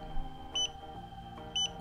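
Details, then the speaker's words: Xiaomi Yi Action camera during a manual firmware update: two short high beeps over soft music, the normal update signal that lasts roughly one minute if recalled correctly; the camera must not be switched off. "akan bunyi bip bunyi bip ini nanti kurang lebih selama lamanya itu 1 menit kalau gak salah sear 1 menit gitu kita tunggu a sampai mati sendiri intinya kalau bunyi bip gini itu jangan dimatiin jangan dimatikan"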